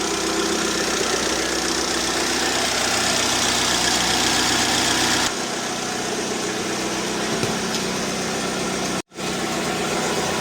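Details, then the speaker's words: Lada Largus at idle, catalytic converter built into the exhaust manifold with its insides removed, before repair: loud, hollow, steady exhaust roar with no muffling, a growling noise to be removed; loud exhaust from gutted catalytic converter. "Mana Lada Largus katalizatorini ichi pustoy ta'mirini ko'rsatamiz."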